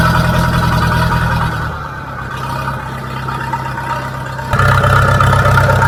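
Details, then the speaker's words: International B414 four-cylinder diesel tractor, sat unused by a pond 20 years, started with ether, still on old sludgy oil: settles into an even steady beat, dips briefly and picks back up cleanly, no misses or knocks; normal running. "that's brilliant that's um actually sounds pretty good uh considering it's been sitting here for so long"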